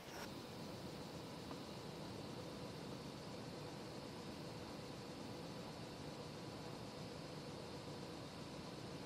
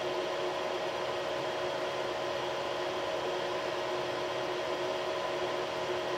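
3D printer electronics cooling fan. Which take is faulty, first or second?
second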